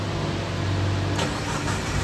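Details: Suzuki APV that blew fuses and would not start, after a shorted wire was repaired; engine catches quickly and settles into a steady, even low idle with no stumbling or misfire.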